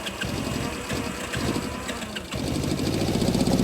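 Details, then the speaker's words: 1970 Honda CB350 that sat idle for years: starter churns steadily at about four beats a second but the engine never fires. It ran after both air-fuel screws were set to the same turns, then would not restart; cranks but won't start. "I'm saying it works and now it won't start"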